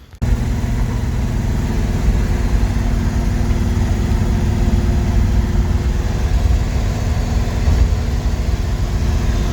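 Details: Buick Skylark with new intake gaskets and new carburetor, before first cruise of the year: deep steady idle rumble, no knocking or stumbling; engine running fine.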